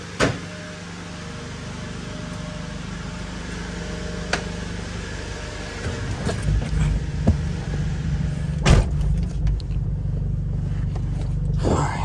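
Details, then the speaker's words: 1999 Honda Civic, manual, test drive after fuel filter replacement, recorded inside cabin: heavy booming low drone over road noise swelling with throttle; loud exhaust, replacement considered. "sounds loud in here because of the exhaust think we might end up changing the exhaust out to something better"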